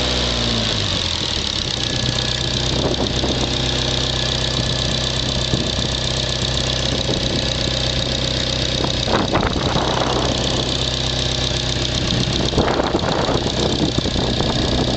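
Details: Petrol car, stock except for an added turbo, idling with a loose, uneven metallic rattle over a steady hum. It appeared after a few runs on boost; the owner wonders if it is a bad valve, but the cause is unclear.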